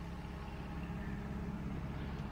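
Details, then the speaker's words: 1992 Mercedes 600SEL V12 at idle after the right exhaust pipe hole was welded. A very quiet, even low hum with no misses, ticks or puffing; the engine runs smoothly. "that sound like you barely hear it just the engine that's nice the engine runs like a SE machine very good"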